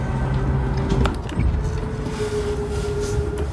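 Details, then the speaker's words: 2022 Coachmen Catalina 343BHTS bedside slide-out extending: steady low motor drone with a few mechanical clicks as the room travels, then a little gear-grinding noise at full extension; sounds scary but is normal operation. "I'm just I only reeling them in so you know what it sounds like when it fully extends because it does sound kind of scary but just know it's normal"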